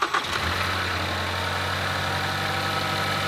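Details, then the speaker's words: After replacing the spark plugs and reassembling the ducting, the engine catches and settles at once into a smooth, even idle with a steady low drone; the earlier rattling and shaking are gone, running normally. "and miracle of miracles gee the engine isn't rattling around and shaking like it was"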